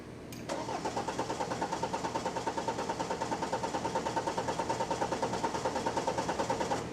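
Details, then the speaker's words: BMW 520d with N47 diesel, metal debris in the fuel line: cranks about six seconds without firing; rail pressure only 24–25 bar versus 300 required, with a faulty pressure control check valve found. "자 레일 압력이 300바 나와야 되는데 24바 25바 뭐이 정도밖에 안 올라가고 있어요 압력 형성이 안 되고 있습니다"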